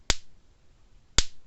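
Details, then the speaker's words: 2010 Blitzer 8901 fence charger, 1 joule, 25-mile rating, with no light: screwdriver shorted across the terminals gives two crisp loud snaps about a second apart, about a quarter-inch spark; normal spark output. "i know it's working but let me take a screwdriver and put it across here see it's snapping just fine"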